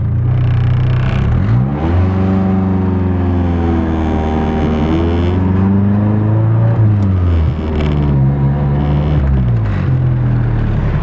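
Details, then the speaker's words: Nissan 240SX with KA engine, road test for hesitation that usually bogs in third and fourth gear while cruising: pitch climbs cleanly through second, third and fourth with no stumble or bog; normal acceleration. "so far so good second gear third gear fourth gear there's no bugging whatsoever so it sounds really really good"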